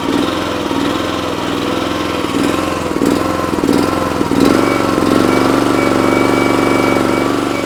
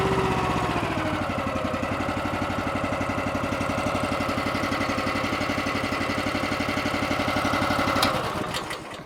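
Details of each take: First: Honda small engine on an Eastonmade 916 log splitter, surging up and down near idle but smooth at full throttle; owner suspects a clogged carburetor pilot (idle) jet, to be cleared with carb on machine. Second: Eastonmade 9-16 log splitter's Honda small petrol engine after a 5-minute idle-screw adjustment fix for surging: now holds a slow, even thumping idle with choke fully off, no surging; before it would not idle this low without choke.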